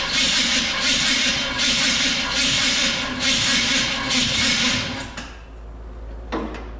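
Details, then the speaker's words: 1966 Chrysler Newport convertible after sitting for years, borrowed carburetor fitted: slow, labored cranking in sluggish surges about once a second for five seconds, no start; weak, junk battery dragging a loud starter. "Battery is junk, apparently. Well, I guess today it's just one of them days."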